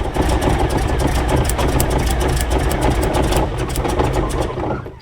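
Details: Rolls-Royce B-series 5.6 L eight-cylinder in a Saladin armoured scout car, cold -6 °C workshop, idling during a plug-lead pull test to trace a reported misfire; the points are suspected: steady low beat with no stumble, and the miss seems to have cleared itself for now.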